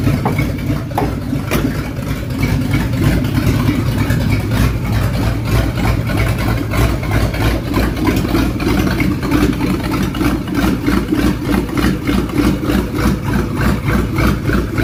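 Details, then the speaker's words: 1969 Ford Mustang on open pipes with no exhaust fitted, just after a new fuel pump: loud idle with an uneven, lumpy beat of about three pulses a second. Timing and carburetor not yet set; owner suspects it may be loading up. "Get the timing set, get the carburetor set, then really see what it sounds like. Because it might just be loading up, I don't know."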